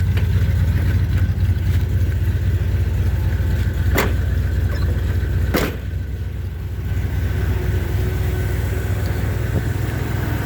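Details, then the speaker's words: 1978 Chevy C10 with freshened-up 350 V8, started after sitting a while: low, steady idle with even pulse, no ticking or knocking, just faint clicks; quiet and healthy. "man this motor is just as quiet I really like this motor it's been a freshened up 350"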